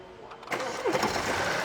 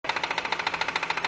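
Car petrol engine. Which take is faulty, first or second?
second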